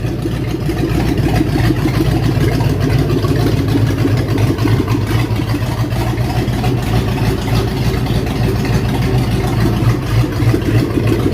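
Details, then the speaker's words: 1967 Mustang V8 with mild cam, fired up after new cooling system fitted: deep, slightly lumpy idle with steady rhythmic lope, no misses or knocks; healthy idle. "That's a really good little engine. Heck, for what I paid for the car, you can't buy those engines that cheap. That thing's something just counting them off, boys. Listen to that. It's got a mild cam in it."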